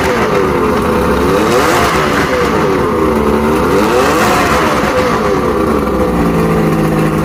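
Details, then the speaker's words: Mercury inline outboard after fixing a no-spark fault by testing the trigger and replacing the stator: started on first crank, strong, even note rising and falling smoothly with throttle, no misses; weak water pumping shows a new impeller is needed. "foreign doesn't get better than that nope yep first crank fired right up did it run good"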